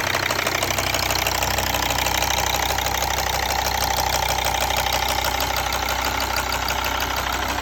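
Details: Mercedes ML 270, OM612.963 diesel at idle: normal busy fast injector ticking with an abnormal duller irregular bang underneath.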